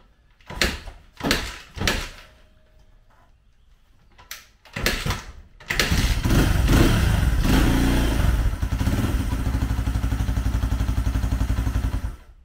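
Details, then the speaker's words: 2004 Honda CRF80 dirt bike, first start after complete top and bottom end engine rebuild: a few kicks, then steady quick single-cylinder putter on a little choke; runs healthy, idle needs slight adjustment, probably WD-40 burning off. "choke needs a little idle adjustment but it sounds good that's just probably WD party and everything else burning off"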